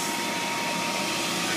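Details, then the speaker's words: Hayward H350FDN pool heater after heat exchanger leak repair, set to spa at 90°: steady airy rush with faint hum, no rattle or scrape, pressure switch clicking before gas valve and ignition; normal inducer fan. "I can hear the pressure switch is clicking our inducer fan motor is running after it charges we'll have the gas valve will open and we'll have ignition"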